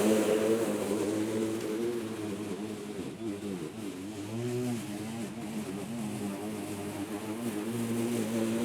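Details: Litheli 13-inch cordless battery mower mulching very thick grass: motor hum sags in pitch and wavers for a few seconds, then recovers; straining under heavy load but still cutting.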